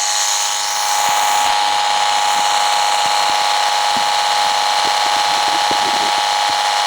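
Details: Speaker held over the microphone while iFi AC iPurifier mains filter units are switched on and off: steady hiss with a fine buzz and small clicks as the units switch; mains electrical noise the filter barely reduces.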